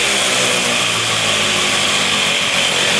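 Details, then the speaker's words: 1978 Puch two-stroke moped, revived after sitting with old gas: a high, raspy buzz holds steady speed without stumbling and revs out fully with no leaks; running cleanly. "But yeah, she uh she sounds pretty good. Revving out completely, too. No leaking at all."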